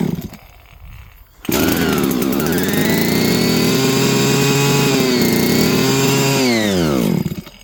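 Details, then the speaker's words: Jonsered 2050 chainsaw, first start after repair, running on gas. It catches at once and holds a steady, high two-stroke buzz for about five seconds, rising slightly, then winds down. Runs after repair. "We'll get to see what it sounds like. Maybe. Oh, it hit."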